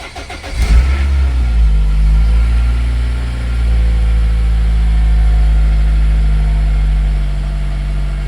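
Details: Toyota Celica engine after replacing belt tensioner and belt, with thicker 10W50 oil: catches and settles into smooth even idle, steady low hum, no chain-like rattle from belt side; earlier noise was tensioner and belt, not the engine.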